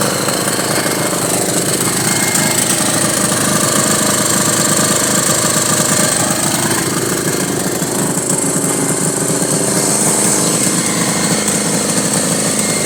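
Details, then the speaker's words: 1983 Honda Goldwing Aspencade project bike, engine running for the first time after revival, started on full choke; loud, ragged, stumbling running, rough, fuel mixture or carb balance suspected off, not confirmed; needs tuning. "And uh clearly it needs some real tuning and dialing in as much as I can do. I'm going to keep tinkering with it."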